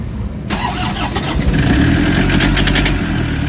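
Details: Toyota HiAce common-rail diesel with codes P0087, P0107 and P0400, after timing was set: brief crank, then it catches and settles into a steady, even idle with no misses. Crank-no-start fixed; starts and runs normally.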